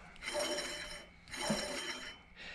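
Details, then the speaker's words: Old A/C compressor removed from a 2001 Ford F250 6.8L V10 gasoline truck, spun by hand: raspy, squeaky whir from a worn bearing, fading as each spin slows; clutch pack also loose, system not cooling. "And this is what was happening. You can probably hear this. You can kind of hear the bearing squeech in there."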